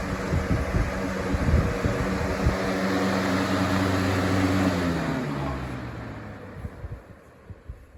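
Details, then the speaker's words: Lasko box fan (2021-22 model), new, running down from high speed; hum drops in pitch with a faint regular scuffing tick each turn, a rubbing noise, possibly bearings needing break-in or something, maybe glue, rubbing behind the hub. "you can totally hear that rubbing sound i don't know if that's just bearings need to break in or if there's something uh rubbing in the backside of the hub"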